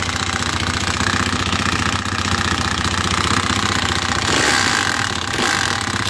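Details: 2020 Hawk DLX 250cc EFI motorcycle at 439 miles, idling. A fast metallic rattle runs steadily over the single-cylinder beat; the centrifugal oil filter nut had unthreaded and backed out, and metal was found in the oil. Engine rattle from the loose nut.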